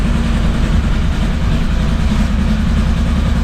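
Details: Off-road vehicle idling after first start in a few weeks, following oil change and refitted driveshaft, front differential and front parts: steady low even rumble, no knocks or rattles; water pump known slow; normal idle.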